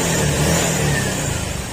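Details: Honda Click scooter at 61,233 km, rebuilt after water pump fault mixed oil and coolant (new piston rings, valve seals, gasket, valves reground), warming up after repair: revs rise and settle smoothly, no knocks, misses or pops; healthy.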